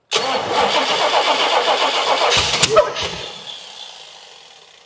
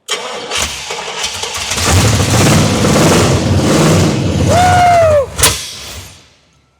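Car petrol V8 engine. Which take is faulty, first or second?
first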